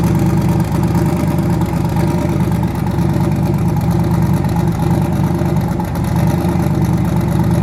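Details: Twin-turbo V8 truck: deep, steady idle with even beat and no stumble or missing pulse; normal idle.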